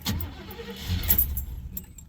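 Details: Oldsmobile after intake manifold work, starter possibly failing: a few uneven catches and puffs after pumping gas that fade out without idling; fires briefly but won't start, owner suspects insufficient fuel, fuel pump next.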